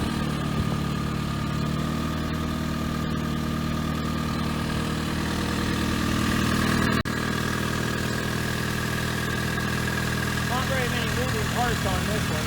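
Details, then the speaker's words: 1994 Saturn boneyard car idling after a 20°F February cold start, only oil checked and water added: steady, even four-cylinder idle with smooth low hum, no knocks or misses; normal. "We got the Saturn running, we got the Metro running, and Chevette running."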